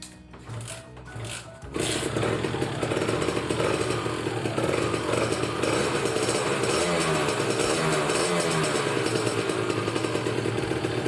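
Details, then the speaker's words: Kawasaki Ninja RR two-stroke, cold start on choke just after replacing worn reed valve petals; it usually starts slightly hard, and the owner wonders about a reed leak. Fast, solid, even crackle at raised choke rpm, sounding denser: normal two-stroke idle on choke. "Jadi lebih padat banget suaranya nih Dengerin ini masih keadaan dicuci ya temen-temen jadi rpm nya masih agak tinggi karena decub"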